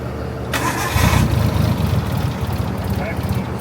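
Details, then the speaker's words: RB-swapped Nissan 240SX, temporary fused power wire fitted, fuel about two years old: steady uneven cranking around four turns a second with hissing from an air leak, never catches; cranks but will not start, the leak not being the cause. "There's an air leak. There's a leak right there. Plug that with your finger. That's not what's stopping it from running."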